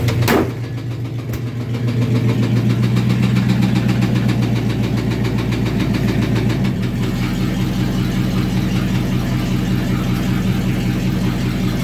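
Engine starts, then revs hard with a rapid, uneven knocking running through the drone, likely a deep bottom-end knock.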